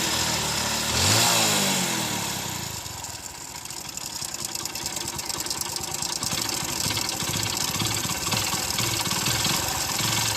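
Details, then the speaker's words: Motorcycle idling after start with a loose, fairly steady clatter of about four knocks a second; the mechanic calls it a completely worn-out engine, with connecting-rod noise inside the crank. "బండి engine పోతే మనకి ఈ విధంగా sound అయితే వస్తుంది అనమాట."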